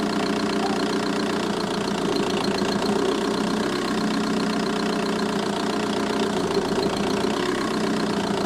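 A fast, light ticking rides evenly over the diesel idle at a steady rate; the source is a tick in the engine bay, cause undetermined.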